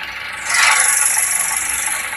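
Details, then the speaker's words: Perodua Bezza 1.3 1NR automatic in Park: loud, harsh rattle like something breaking from inside the gearbox. Suspects are the torque converter, differential bearing or others. The finding is a loose torque converter lock-up clutch spring. "Kalau dengar bunyi ini memang dia dalaman gearbox lah. Oke, bunyinya besar jugalah."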